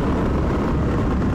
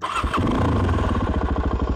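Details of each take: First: Suzuki DRZ400 riding after refitting a knockoff Mikuni carburetor and leaning the air screw, previously running rich: loud, raw single-cylinder bark, steady and clean; worn muffler needs replacing, engine runs well. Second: Suzuki DRZ400 single-cylinder after Mikuni-copy carburetor rework: starts straight away and settles to a steady, even idle, no high idle; slight backfire, air idle adjustment to be tweaked; normal start.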